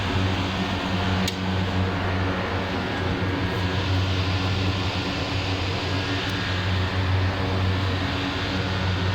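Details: Air conditioner belt-driven blower after belt tightened (loose belt reduced airflow), drawing about three amps: steady even low whoosh and hum, no knocks, squeals or surging; running smoothly.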